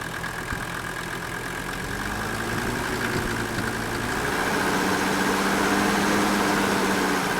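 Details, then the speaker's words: Old Mercedes-Benz turbo diesel, jump-started after sitting, running on fuel of unknown age: steady, even diesel clatter at constant pitch after coming off fast idle, air cleaner housing barely moving; smooth, normal idle. "idle look at how smooth that is look at the the air cleaner housing not even hardly moving"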